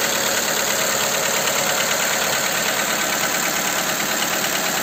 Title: Стук двигателя 1.4, Skoda Fabia 2, Ч.3 после замены крышки с распредвалами